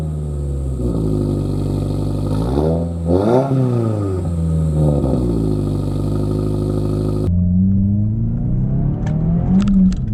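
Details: Lowered Subaru VB WRX after intermediate pipe upgrade (replaced after damage while driving): deep exhaust note rising and falling through several revs at cold start, then a smooth pull on the road, louder than before, no rattles; normal exhaust note.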